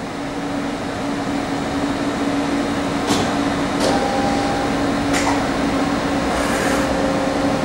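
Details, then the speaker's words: 1986 Okuma & Howa Millac 4VA 3-axis CNC vertical machining center, Fanuc 11M control, manual jog of the axes. Low steady hum, faint even tone and a few soft clicks as the axes move; quieter than some 1998–99 machines, solid, smooth, well maintained. "i don't know if you could hear this but uh for an 86 machine this is quieter than some of our 98 99 machines that we have"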